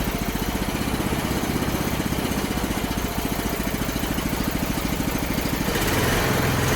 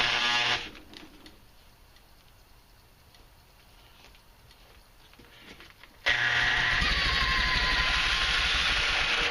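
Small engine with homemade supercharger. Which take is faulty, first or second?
second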